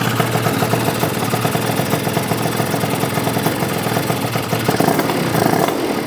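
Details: Yamaha BWS 100 two-stroke scooter built with a Malossi 125cc kit and supporting mods: crisp buzzing rev-ups with a steady rattle-free note, no gurgling or stumbling, revving cleanly and sounding much better, running clean.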